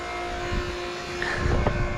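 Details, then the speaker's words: Honda Accord after a radiator swap to cure overheating: smooth, steady engine hum with a light rise in revs and no knocking or rattles; sounds much better and runs properly. "Yeah, that sounds way better."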